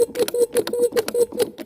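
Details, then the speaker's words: MG/Triumph mechanical fuel pump after disassembly, varnish cleaning and lubrication, diaphragm and spring inspected; crisp even pumping clicks about five a second, pulling vacuum on inlet and pushing on outlet, normal operation. "it's pushing and pulling hear that anyway it's pulling a vacuum on this one and it's pushing on this one"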